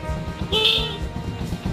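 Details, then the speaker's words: Motorcycle running after kick-start, its old battery no longer holding charge. Two short, thin horn bleats, sputtery and lacking punch, sounding like a fart; weak horn from low battery voltage. "suaranya menyemprot sela-sela Jum eh maksud kita memberi salam pada rekan di jalanan dikira kita kentut aja ya suaranya seperti itu jadi sangat tidak mengenakkan"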